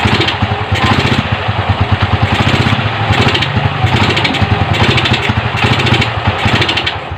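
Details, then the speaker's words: Motorcycle with Keihin 28mm carburetor, before tuning: single-cylinder engine stumbling and chugging unevenly as throttle opens, weak on take-off and lacking top end; bog on acceleration traced to the carburetor. "Ayan, naririnig niyo mga lods, mga amigo, na umagok yung 28mm na carburetor."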